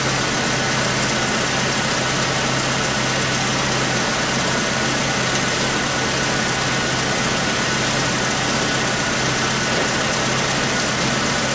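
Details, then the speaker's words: 1996 Chevy S10 2.2L four-cylinder, over 260,000 miles, with codes P0200 and P0302 and injectors already addressed. It runs better but still idles unevenly with a recurring dead pulse and popping, a cylinder misfire not caused by an injector. "well it's better but definitely there's still this fire it's not no longer injector problem something else is going on"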